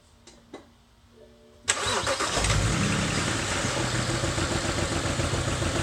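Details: BMW N54 engine cranks, catches and settles into an uneven, stumbling idle instead of a smooth run: misfire.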